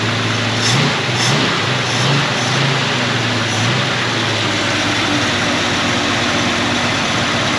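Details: AMC 258 straight-six in a 1946 Studebaker truck, first start after installing a cheap eBay Chinese BBD knock-off carburetor; choke on, raised steady fast idle with even drone, no misses or knocks; normal fast idle on choke.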